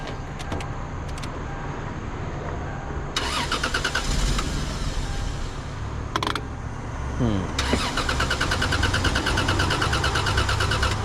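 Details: Lexus GS300 that starts but dies shortly after: repeated cranking bursts, engine catches briefly then stumbles unevenly, ready to stall; hard start and stalling, cause unknown.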